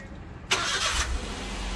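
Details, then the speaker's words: Maruti Suzuki Alto K10 after engine mount replacement to cure heavy engine and cabin vibration: the starter catches quickly and settles into a steady, even idle with no shaking or knocks, a normal engine start. "अब steering string बिल्कुल silent हो गया है बिल्कुल set हो गया"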